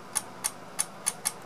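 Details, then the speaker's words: BS250 P-channel MOSFET switch test circuit on a bench supply current-limited to about 1 A: five sharp, crisp, slightly uneven clicks when the jumper shorts to the negative rail, as the supply hits its current limit. "that clicking is just the power supply that I'm using has to quickly adjust to the amount of current going through it"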